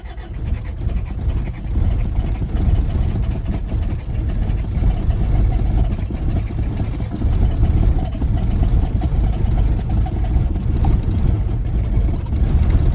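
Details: 1981 Isuzu Pup, 2.2L C223 diesel, sat a week at 50–60°F, after glow plugs: heavy rough low rumble with lots of smoke, never settles into a clean idle. Hard cold start; injection pump timing changes and a CSD leak suspected.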